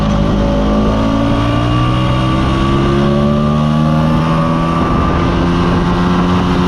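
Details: Mostly original Spanish Lambretta Jet 200 (Serveta) two-stroke on test ride after carb slide cutaway changed from 1.2 to 2.2; clean, even note pulling smoothly up through revs, no stutter or misfire; mid-range spluttering cleared.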